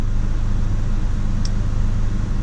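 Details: 2009 GMC Canyon at idle, RPM sagging and wavering as if about to stall, intermittently stalling with check engine light on; scan shows code P0017 cam/crank position correlation fault causing the rough idle.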